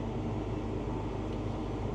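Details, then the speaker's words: Combine engine (TR96, used while the main combine is down with a plugged DEF nozzle) starts and runs with a deep, even diesel rumble under throttle, no knocks or misses; RPM gauge works, plenty of power, healthy engine. "Obviously, she started. Wow. And the RPM sure works. No shortage of power."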